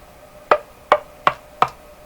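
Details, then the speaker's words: Westinghouse 535 tube radio, chasing spurious oscillation: tapping a newly installed capacitor with a metal screwdriver gives four sharp crackling pops, one per tap about every 0.4 s; intermittent connection suspected, though whacked cords or shielded wires can also make this sound. "That's one of the capacitors I installed. Now don't get too excited about that sound. Sometimes even cords, even shielded wires like microphone wires, if you whack them, you'll actually hear that sound."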